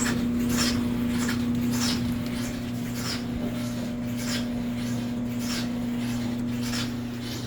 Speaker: It doesn't appear to be shaking or [Music] moving. Sounds like it's somewhere down in here.